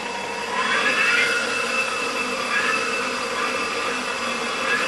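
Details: Enova EV traction motor for a BMW E31 840Ci conversion, on the bench spinning up toward 6000 rpm: thin, steady high-pitched whine with a soft hiss and no grinding or knocking; normal.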